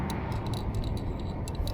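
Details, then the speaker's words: Stopped e-bike shaken by hand: light irregular ticking clatter from the front end, traced to the battery key hanging in its lock and knocking; key rattle. "I think it's the key yeah must be the key sure sounds like it was coming from the front end"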